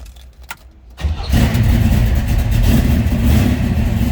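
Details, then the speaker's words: 1969 Chevrolet Camaro Z28 with 396 big-block V8 and 4-speed manual, cold start: brief crank, then catches cleanly into a deep, even, lumpy idle with no knocks or misses; sounds healthy. "Aftermarket tax. You can hear this one definitely sounds healthy."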